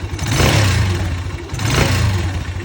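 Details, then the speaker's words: Mustang Region 150 motorcycle, poorly maintained, after a generator and rotor replacement and a valve adjustment. Two clean throttle blips with the note rising and falling smoothly; the earlier noise turned out to be the valves, and no tapping remains. The engine was found to smoke afterward. "А він навіть і не стукаєв. Все-таки це клапана стукали, тому що шум був такий цікавий. Дуже тихенька робить, гарненька така ж чути компресію, як"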